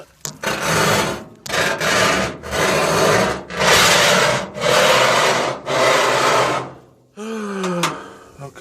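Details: GE washing machine after being moved: loud rasping scrape in long strokes about once a second as the tub moves, then stopping; pushing the tub in stops it, owner unsure if bearings or something knocked loose underneath.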